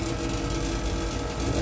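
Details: Panasonic 2 hp air conditioner outdoor unit after replacing the faulty capacitor, about 5 minutes after switch-on: steady low hum with even fan rush; the compressor now starts and runs normally, whereas before only the fan ran.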